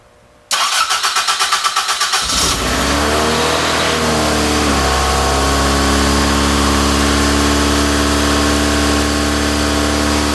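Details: Toyota AE86 Corolla GT-S with a dead battery, started using a Moto Master charger's engine-start mode: about a dozen quick, even cranking beats for two seconds, then it fires and holds a steady, smooth idle.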